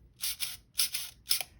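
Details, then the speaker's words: Canon AE-1 camera before disassembly: AE unit tested, three short shrill bursts, a thin high squeal each time the mechanism cycles, showing lack of lubrication; a slight mirror mechanism squeal also present; to be disassembled and lubricated. "You can clearly hear the lack of lubrication there too. So we're going to take it all apart, lubricate it, put it back together."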